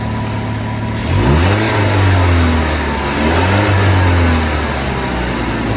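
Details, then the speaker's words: 2010 Ford Fusion after throttle body replacement and electrical connectors cleaned and greased: engine rises smoothly from steady idle through two clean revs and settles evenly, no stumble; check engine light off, running normally. "I clean up all the electrical put some electrical grease on there you can get and started up it sounds a lot better sounds a lot"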